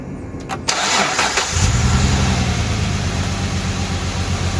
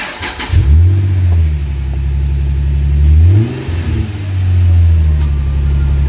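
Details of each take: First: 2008 Dodge Charger 2.7L V6, code P0302: cranks, catches and settles into a slightly lumpy idle from a dead cylinder 2 misfire; coil or plug still to be tested. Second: 2008 Dodge Charger 2.7L V6 after repair of a P0302 cylinder 2 misfire and clearing of codes; the engine catches quickly, revs cleanly up and down twice, then holds a smooth, even idle with no stumble or miss.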